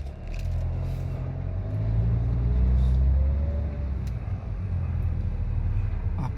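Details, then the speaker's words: Chevrolet Malibu brought in for steering-wheel judder when braking and a squeak when reversing, road test after brake repair: low, steady rolling rumble with no squeal or scrape reversing and driving forward; brakes now quiet. "호진 할 때도 소미 소음 없습니다 후진할 때 도서 먹고 그 다음에 전진 할 때도 좋음 이 없습니다"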